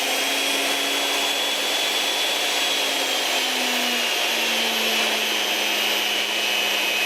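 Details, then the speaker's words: Delta 37-070 jointer motor, previously not running, after repair and reassembly, mounted in a chuck: smooth even high whine with steady pitch, no hum or rattle; motor spins freely and healthy. "Let's turn it on. Oh, look at that. It's working like a hot damn."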